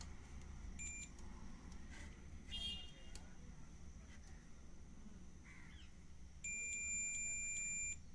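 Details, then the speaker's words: 3055 transistor double-channel amplifier with no sound after driving a 12-inch 150 W speaker; steady high multimeter beep for about two seconds across the driver transistor shows it is shorted; to be replaced. "इसका driver transistor जो है shot हो चुका है तो अब देख सकते हैं यह शॉर्ट हो चुका है"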